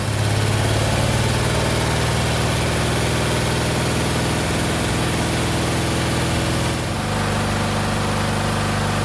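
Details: 1963 Chevrolet C10, Stovebolt straight six with two dead cylinders, running only cylinders 1, 2 and 6 connected for 10 minutes after oil treatment: uneven, lumpy loping idle with a shift partway through; running on three cylinders.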